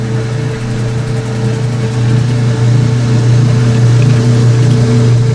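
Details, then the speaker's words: Old washing machine during spin-out, microphone pointed at its old-style drain pump: loud, deep, constant drone with a steady hum and no grinding or rattle; normal drain pump operation. "Old old drain pump sounds. That is just thunderous sound. That's pretty damn amazing."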